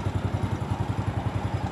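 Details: Single-cylinder motorcycle idling right after battery service (the battery had gone two months unchecked, its water was nearly gone, it was crusted and would not start; drained, cleaned, recharged). It now starts on the electric starter: steady, even thump at about nine beats a second, no misses or clatter, clean idle.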